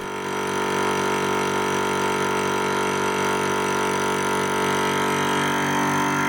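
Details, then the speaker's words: VEVOR high-pressure compressor, just switched on and pumping, later reaching 40 °C with little pressure rise. Loud, even motor drone with a steady ringing tone and fast regular pumping beat; normal running. "so we turned it on I don't think you could call it quiet exactly but we left it to pump while we had a cup of tea"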